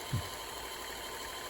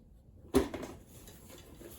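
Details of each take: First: Kenmore Sensor Sew 70 (385.1950280) sewing machine after repair: quiet, even whir with no knocks or catches, steady speed; normal running. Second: Kenmore Sensor Sew 70 (385.1950280), early electronic sewing machine just freed from a lock-up, first power-up on the foot pedal: motor whirs up, winds down after a second or two, then restarts with clicks; owner suspects an overload trip.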